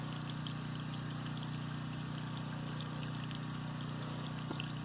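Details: Workshop well pump running on generator, pressure switch 30 on/50 off psi: steady splashing water flow over constant generator hum; system delivers water normally.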